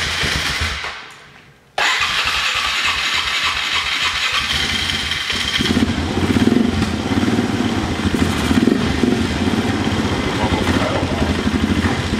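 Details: Polaris Sportsman 500 with an aftermarket carburetor, runs fine without the airbox: with the airbox refitted after a mixture-screw adjustment, the engine runs uneven and lumpy and never smooths out. Rough running from an air leak at the unsealed airbox.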